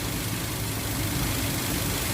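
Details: Toyota Avanza 1.5 G that had a crank-no-start fault with codes P1604 startability malfunction and U0167: smooth, even low idle with a steady hum and no knocks, misses or stumbles; normal idle.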